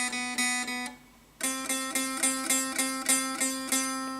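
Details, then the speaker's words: Tradition S-2000 Les Paul guitar: open B string plucked repeatedly, each note carrying a bright, sizzling fret buzz, also on the G string, caused by a popped-up high fret. "you can really hear how that how the string is actually buzzing and and the same here for the g-string and that's that's really really annoying"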